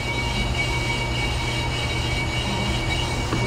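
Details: Brake lathe machining a rotor from a 2008 Ford Flex 3.5L with vibration problems: continuous scratchy metallic rasp over steady motor drone as the bit cuts the rotor's high spots.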